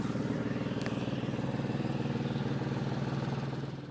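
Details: 2003 Porsche 996 Carrera 2 with a noise that appeared suddenly one day: steady idle with a regular pulsing beat of around three per second running through it; unusual noise, cause not identified.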